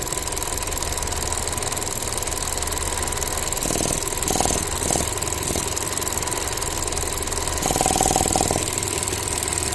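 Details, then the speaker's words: Ford Transit Connect that dies randomly, engine cold and warming at idle: irregular quick ticking and spurting bursts that come and go as the weak evap purge valve repeatedly sticks open; needs replacement; purge valve stuck open. "it stays hung open over and over and over again you hear it it's spurting cu the valve is weak it's no good it needs to be replaced"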